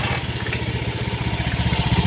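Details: Fuel-injected motorcycle that stalled with codes 7 (EOT) and 52 (CKP), after repairing the broken EOT 5V signal wire and replacing the CKP sensor: steady even single thumping idle, no misses, stumbles or rattles; running cleanly.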